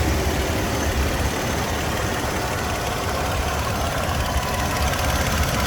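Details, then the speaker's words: 2007 Toyota FJ Cruiser, 345,000 miles, idling during pre-purchase inspection; smooth even idle, no vibration, quiet lifters, no ticking or knocking, sounds like new engine; normal idle. "this engine has no vibration at idle none wow that's Rock Solid absolutely Rock Solid no adverse noise sounds like a brand new engine as far as I'm concerned"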